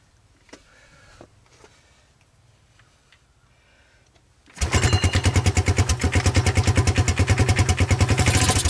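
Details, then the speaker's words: 1986 Honda TRX200SX single-cylinder ATV, sat three years, seized carburetor replaced, intake manifold hacked, remote ignition fitted; cold first start on starting fluid and choke: quiet handling, then it fires into a quick, even thump and runs cleanly, no smoke noticed. "well i think i've demonstrated that there's some life dave i hope i did a little hop for you there i didn't notice any smoke"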